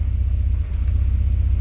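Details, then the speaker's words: 1991 Mercedes 300E, warm engine in drive with AC on: deep steady rumble with one brief stumble, a slight hiccup under load; owner says he knows the needed fix. "There's still a little bit of hiccup, but I know what I need. That's AC on."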